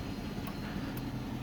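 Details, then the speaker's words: 2006 Dodge Charger R/T 5.7L HEMI V8 at a quiet, even idle, with a light, sharp tick about twice a second that comes and goes. Source unknown. "know where that's coming from it goes off and then it comes back on it's kind of annoying"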